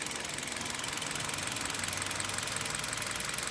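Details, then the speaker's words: Hyundai Solaris 1.4 on Lukoil Genesis 5W-30, hot idle about 700 rpm, listening at hood: light, even ticking two or three times a second, no deep knock; normal injector ticking, quieter than on previous 5W-40 oil. "цокает форсунки такой трудиться всем удачи на дорогах"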